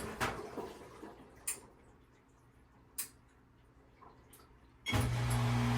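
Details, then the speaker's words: Electrolux ELFW7537AW1 washer in diagnostic test mode on knob position 11, checked after a bra underwire stuck under the tub caused noise. A few scattered knocks, then a steady low pump hum; drain pump working normally. "It's draining on 11."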